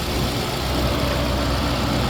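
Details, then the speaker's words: 2023 Audi RS7 V8 idling under the hood during a pre-purchase inspection, in performance mode; smooth, even idle with a steady low hum, no knocks, ticks or whine, fans all running; engine sounds healthy. "As you can see, the vehicle is still running. All the fans are working. Engine sounds good."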